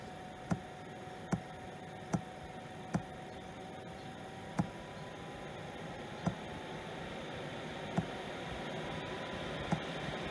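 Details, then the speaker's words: 5 kW Chinese diesel heater in an RV that has grown harder to start over the years: sharp pump ticks about once a second over a faint rising fan hum, then it shuts off with a low-battery error. Owner suspects voltage or cable problem. Heater fails to start. "So that's turned itself off because not enough battery."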